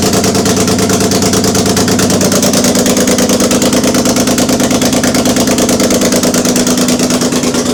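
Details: BMW E30 started for the first time in six years after an engine swap and rewiring, fuel pump working; steady, even idle with a smooth regular firing pulse, no knocks or misses; engine sounds healthy and runs smooth.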